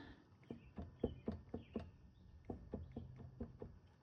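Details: Suzuki V-Strom 800DE at about 18,000 km on a service stand, front wheel turned by hand: rough gritty click several times a second, slowing as it coasts. Complete front wheel bearing failure; owner wonders if a shim was left out at the tire change.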